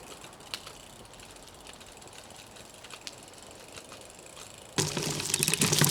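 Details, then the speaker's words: Brompton with a Sturmey Archer hub gear coasting in gear 1: light, fairly quick ticking, ordinary freewheel pawl noise and nothing wrong; the noise changes with gear and is loudest in gear 3. "So just remember, that lovely ticking is just life with Sturmey Archer."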